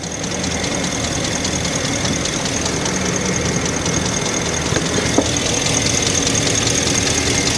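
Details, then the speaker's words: 2012 Ford F350 6.2 L gas V8 with code P06B6 (knock sensor 1 performance): idling with an uneven ticking and snapping and a sharp crack near five seconds; water sprayed on the ignition coils shows them arcing to the block. "this is the same way I'm spraying right on the coils and I can't see it on this side as much now but I was able to see before that these coils are shorting to the block"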